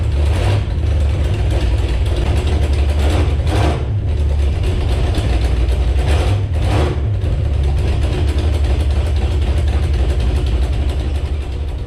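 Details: Jeep Grand Cherokee drag car with Magnum V8 and 440 flywheel, first fire-up, carburetor untuned: steady deep idle with three quick blips rising and settling cleanly, no stumble or flywheel vibration; running healthy.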